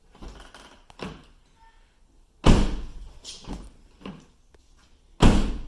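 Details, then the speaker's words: Van door, after being bent back by hand using cardboard padding because it was hitting the fender: opens and shuts with solid thuds and latch clicks, no longer scraping or grinding against the fender. "not scratching or bending then I hope this video helped you see you in the next one"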